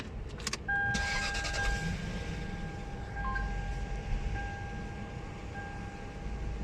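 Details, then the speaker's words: Lexus 8-cylinder petrol engine after replacing the weak No. 5 ignition coil that caused the misfire/jerking: it cranks, catches quickly and settles into a smooth, even idle. The check engine light is on from unplugging connectors. "Grip उतारने से check engine की light आ गई है, लेकिन इसकी missing बिल्कुल okay लग रही है मुझे।"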